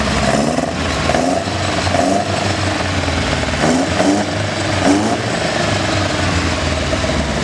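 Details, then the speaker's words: Ford Capri Mk1 1600GT with aftermarket sidedraft carburettors (ITB-style setup) and new exhaust replacing a straight pipe, running in the engine bay: crisp, even idle with sharp throttle blips that rise and settle cleanly, carbs picking up smoothly; normal running. "I'm going to give you guys a quick sound clip of what the Sidedraft sounds like, and just a quick view of the engine bay, what we've done since the last time."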